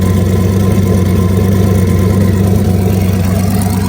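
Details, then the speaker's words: Ford Mustang Foxbody with newly fitted Precision 7675 turbo after previous turbo failed from low oil: steady, even deep idle with faint turbo whistle, 65-66 psi oil pressure, 56 fuel pressure; some valvetrain clicking noted; normal idle. "So it's running fantastic. That turbo going."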